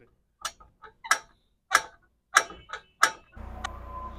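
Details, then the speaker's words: Motorcycle rear suspension pushed by hand: sharp creak roughly every two-thirds of a second from the swingarm pivot, not the shock; fixed by removing the nut, greasing the pivot and refitting. "हमारे ये शाक की आवाज नहीं होती इसके पट्टी की आवाज होती है जब हमारा झूला काम करता है तो अंदर से ये आवाज पैदा करता है"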